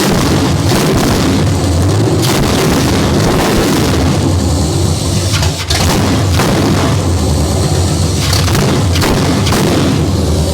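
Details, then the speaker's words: Stock 1968 Camaro small-block Chevy V8, first start after sitting abandoned, water still in it: loud, deep, choppy rumble with hard exhaust pulses through open headers, no clatter or misses; running normally. "Oh, open header sounds good. Even on a bone stock junker."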